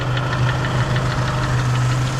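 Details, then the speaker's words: 2004 PT Cruiser 2.4L at idle with a sharp, regular lower end knock about six times a second, worn bottom end (rod knock); an exhaust leak and a leaking bolt are also present. "The engine is knocking. You hear that lower end knock? That's not good."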